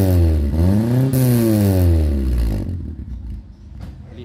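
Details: Nissan Sentra, red, after fitting a 4-inch round-tip sport resonator at night; loose heat shield (canastilla) was tightened. Short rev rises and falls smoothly, deep even exhaust note, no squeal or rattle; normal.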